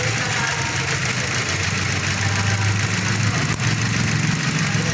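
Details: Mazda 3 petrol engine idling roughly with a low, unsteady, stumbling rumble, showing code P0300 (random multiple-cylinder misfire). Unreplaced spark plugs are suspected.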